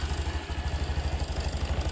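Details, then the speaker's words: Honda Beat Deluxe scooter (KOJ), used for ride-hailing, after its CVT is rebuilt for a sudden cracking noise and the idle is reset: steady, even putt-putt idle with no rattle or drop, no longer sagging when started. "Sebelumnya kan kalau diarter selatnya langsung turun. Nah, ini udah enggak tuh. Ya sudah halus suaranya, Guys."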